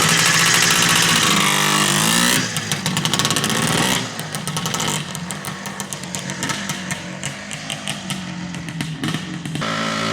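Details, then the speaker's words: 1974 Suzuki TM250 two-stroke, original unrestored survivor, engine described as perfect: crisp, buzzy two-stroke ringing cleanly, then blipped in quick, even revs with no misses or rattles; normal healthy idle and revs. "So let's fire it up. I'll give you guys a little sound check. A Friday morning sound check."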